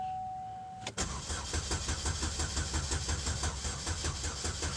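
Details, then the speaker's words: Chevy Malibu, possibly 2006, with crankshaft position codes P0016/P0017, started on a jump starter after a crank no-start: chime, short crank, then uneven, stumbling lumpy idle; hard start from crank/cam timing fault. "okay so the car is now running all i did was put my jumpstarter on it but it is not happy it sounds like crap and it is just stumbling"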